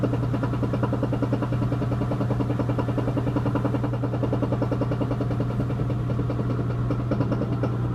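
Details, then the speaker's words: 4-year-old Whirlpool Duet WFW95HEXW2 washer on spin cycle: even hum with rapid uneven knocking, three or four per second; owner suspects worn rear tub bearings, drum W10409998 welded and unsplittable. "so you heard the noise it's knocking I'm pretty sure it's the rear bearings and the drum number eight in this picture"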